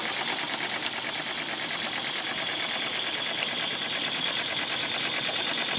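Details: Mamod Quarry live steam locomotive (SM32, 16mm gauge), jacked up on blocks and running in steam at very slow speed via the regulator: soft, regular chuff about three beats a second over steady steam hiss, no knocks; runs super smooth, normal.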